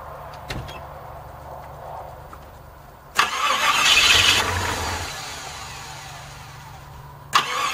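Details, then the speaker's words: Classic Jeep Wagoneer after new radiator, hoses, thermostat and EGR valve, which did not cure dying when coming to a stop: quiet, then short crank, rough surging catch, uneven idle; hard restarting after stall, cause unknown. "if you're still watching here's the start right after it let's see if it starts back up"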